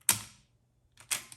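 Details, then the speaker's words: Floppy drive from an original 1984 Macintosh after its loading mechanism was lubricated: a crisp clunk as the disk drops down immediately, then a quick clicky settle, so the disk loads normally. "And so now, when you put a disk in, this is what a lubricated drive should sound like. See that? Makes a nice clunk, and the disk goes down immediately."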